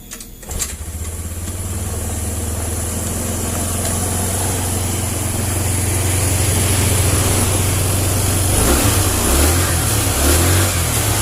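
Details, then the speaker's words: Honda Vario 110 (first model) scooter that stalls when the horn or turn signal is used, kick-started with the battery removed and a new regulator (kiprok) fitted. It catches and holds a steady, slightly fast idle, then takes quick throttle blips cleanly: normal running. Old regulator suspected. "Nah, oke guys, motornya normal. Tunggu tuh, gasnya terlalu tinggi, terlalu kencang nih. Nah, sekarang sudah normal."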